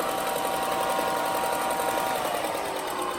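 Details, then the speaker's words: About 4-inch belt sander, unused for a while, test-fired after belt tension set via lever and dial: steady even whir with fast light belt flutter, no knocks or rubbing; normal running. "yeah. That's some sanding joy right there."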